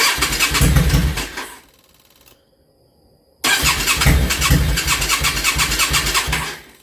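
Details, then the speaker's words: Yamaha V-Star 650 Classic after new fuel lines and fuel pump giving proper fuel pressure; fires and revs briefly, dies, then catches with uneven lumpy idle: hard starting and stalling at idle, owner suspects an air issue, maybe too much air, carbs seem fine. "I think the carbs are working good I think we're having an air issue maybe too much air"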